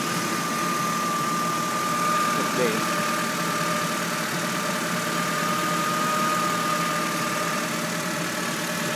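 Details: 1997 Honda Civic DX, 5-speed four-cylinder, idling: steady high whine/scream over the engine throughout; owner suspects timing belt, not confirmed.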